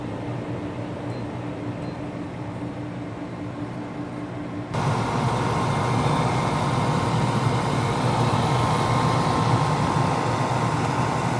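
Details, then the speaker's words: Danby Idylus 12,000 BTU portable air conditioner, first startup of the year in April: even fan hum, then compressor cuts in instantly and unit runs louder but smooth and steady. Normal running. "i'm about to start it up for the first time so let's go ahead and turn it on compressor started up instantly"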